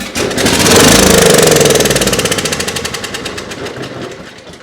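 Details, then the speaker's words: Coleman Powermate 6250 generator, Briggs and Stratton GenPower 305 10 HP OHV engine, fresh oil, run briefly on starting fluid: quick even pulses about four a second, then fades as fluid burns off; engine runs, no mechanical problems, carburetor next. "Okay, so the engine is a runner. There's no mechanical problems with it."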